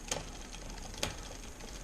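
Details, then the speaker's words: Bicycle rear derailleur indexing, small front chainring, one click up: the cable is tensioned by turning the barrel adjuster anticlockwise a quarter turn at a time. Sharp metallic ticks about once a second as the chain chatters on the next cog, nearly ready to shift. "so it's time to add some tension in and I can start to hear the chain chattering it's nearly ready to shift"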